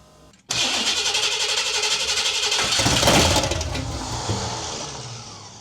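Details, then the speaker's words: Big-block engine in a pickup build, first start attempt: the starter cranks, then it catches with uneven popping firing that swells and fades, and it dies as soon as the key leaves the start position; power loss off the start circuit is suspected. "oh it wants to live [Music] give a little throttle what are we losing here [Music] something is aai not sure what it is as soon as I pull back from the uh start it kills it"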